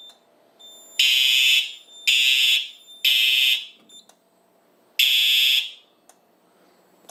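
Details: 4100U fire alarm system, combo detector sprayed with test smoke (reached 100% alarm, 6.2% smoke): loud shrill horn blasts about half a second long repeating roughly once a second; alarm sounding correctly.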